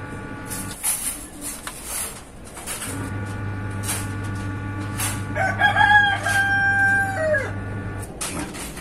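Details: Power amplifier with a signal fed in produces a low steady mains hum with a buzzy edge through the speaker, from a failing filter capacitor; a rooster crows nearby.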